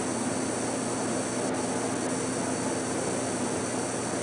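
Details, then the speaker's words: 2003 Apple Power Macintosh G5 (first version of this case, Hitachi 500 GB drive) during network activity: a constant thin high-pitched whine over steady fan hiss that stops and restarts; coil whine is suspected but not confirmed. "coil one on that is nuts oh it stopped oh now it's started again"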